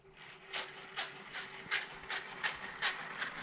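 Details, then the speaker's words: Gen1 Axial 6x6 RC truck on the floor: light ticking rub about 2.5 times a second over faint motor whine as the spur gear catches the driveshaft; fine when held in the air, truck wobbles; driveshaft to be replaced. "yeah it's uh the spur is rubbing on the drive shaft there so if i hold it up in the air like this it's okay"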